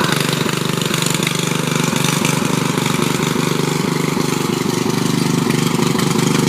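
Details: Riding mower with its engine cleaned of water and given new oil, started via a jumped solenoid on choke: loud, raw, blatting idle with regular pulses about two a second and harsh crackle. The loose muffler leaks exhaust and backfires.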